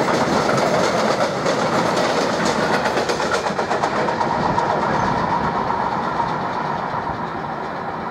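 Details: Locomotive 189 005 passing with a short freight train, fast steady pounding from many flat spots on the wagon wheels.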